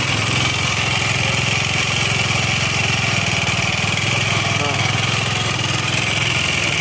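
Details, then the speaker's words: Xeon automatic scooter engine idling with a rough, rattly clicking on every firing stroke, still noisy after the CVT parts were removed; piston slap from a worn cylinder and scored piston. "Oh, masih berisik sekali, teman-teman . Meskipun semuanya sudah disingkirkan."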